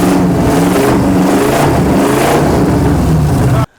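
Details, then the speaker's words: 1955 Buick Special with a 350 small-block Chevy newly mounted in the frame, first run after some fiddling: deep, strong V8 rumble revving and settling cleanly, even firing, no knocks or misses; healthy normal running. "we got it fired up it sounds good after you know a little bit of messing around with it"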